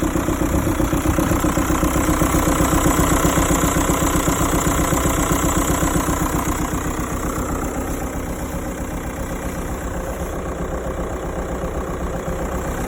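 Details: 2006 SEAT Alhambra 2.0 TDI manual: steady diesel idle with an even tick about four times a second over it; abnormal idle noise, source unknown.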